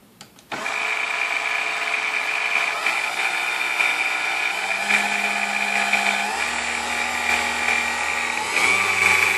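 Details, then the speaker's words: Vintage Kenmore stand mixer, apparently Westinghouse-made, after service with dry bushings' wicks packed with oil: motor spins up to steady even hum with clean high tone, no screech (previously from lack of lubrication) or burning odor; normal running. "all right sounds like a pretty powerful piece now it doesn't make screeching noises anymore that was due to lack of lubrication"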